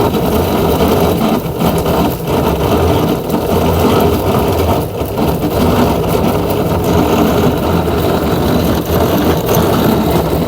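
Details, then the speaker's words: Samsung 7 kg top-loader washer after replacing drain motor and refitting clutch assembly (was noisy, drum not spinning): steady whooshing spin, even hum, no knocking or grinding; drum spinning normally, no abnormal noise. "Now machine is running well. It's spinning, you can see here. Drum rotating. No any abnormal noise also."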